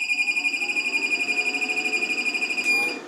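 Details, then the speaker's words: LaCie Biggest FireWire 800 enclosure (believed 2007), bought used as working: after briefly booting, it fails again; a high piercing beep pulses about four times a second, then cuts out as it drops power. Repeated power cycling, cause unknown; fitted drive dead. "yeah broken again completely so seems to be if you leave it off for a couple of hours it works again for a second which is rather strange"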